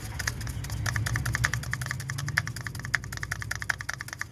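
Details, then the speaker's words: Flood-damaged Ram with a 3.6 engine. The clacking stops when the belt is removed, and turning the pulley by hand gives dry irregular crackling and clicking: failing water pump bearing noise. "That's the noise I'm hearing. That is the exact noise I'm hearing."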